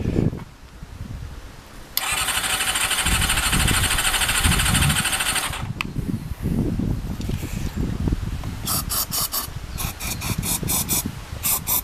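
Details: Honda CBR400RR NC23 with leaking temporary fuel pipe, tried on carb spray: starter whirs steadily for seconds without firing, then clicks and bursts; cranks but won't start, spark plug out shows no spark.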